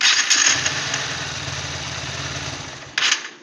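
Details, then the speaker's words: Honda Hornet 2.0 motorcycle at 53,336 km, before repair: harsh rapid whirring churn while cranking, three to four pulses a second, then a brief burst; starter motor noise, suspected low grease on armature shaft or worn carbon brushes. "এই আওয়াজটাকে আমরা solve করব। এটা কী হচ্ছে না, starter মোটরের ভেতরে যে মোটরটা আছে, মোটরটার ভেতরে একটা এরকম সরু মতো রড থাকে, ওটার মধ্যে গ্রিসটা আর কি হয়তো কমে গেছে এরকম আওয়াজ হয়,"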